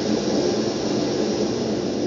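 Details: Brunton Vesta backpacking stove, designed only for LP gas, running on its LPG canister for comparison after emergency liquid-fuel use: smooth, even roar with no sputtering or surging and no visible yellow flame; burning clean and healthy.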